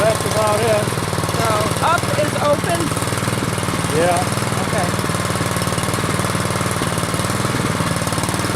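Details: Troy-Bilt Storm 2840 snow blower small engine, warmed up and throttled down to idle: regular chugging beat, a little uneven but no knocking or surging; a normal healthy idle.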